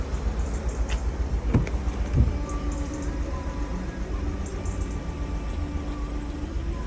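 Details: VW Mk7 GTI petrol engine idling roughly with an irregular misfire stumble; timing case leaking oil, final washer failing.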